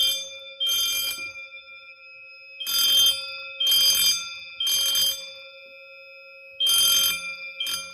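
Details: Silent Knight SK-4 panel driving two Pre-ADA Wheelock horn/bell strobes, triggered by a smoke detector test. Horns and bells sound three bursts, pause, repeat: a temporal-3 evacuation signal.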